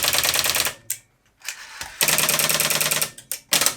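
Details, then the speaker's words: Rotary phone dialing into exchange relays over a short line: crisp bursts of rapid relay clicks with short pauses per digit; the quick relay follows the 100 ms pulses while the slow relay ignores them, working properly. "So this relay is a lot quicker acting than this relay, which means this one is going to ignore the 100 millisecond pulses because it's far too slow, and this one is going to tell the switch what to do because it's a lot quicker."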